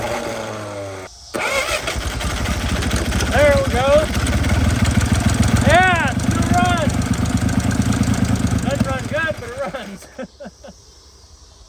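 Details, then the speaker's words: 1950 DeSoto first revived, running on fuel poured into the carburetor/manifold: after a few cranks it catches into an uneven, stumbling, lumpy idle, not firing on all six; misfire, owner suspects debris lying on the plug wires, unconfirmed. "Thing sounds like it ain't hitting on all six, but it's running. Could be all this uh stuff laying all over the plug wires."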